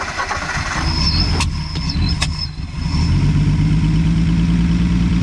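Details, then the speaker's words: Old V8 carbureted rig on a first start after sitting: catches, then runs lumpy and uneven, stumbling at low revs and smoking heavily; timing suspected too far advanced, not confirmed. "crank her up you got her smoking like a Dickens let me let me recharge the timing a little bit"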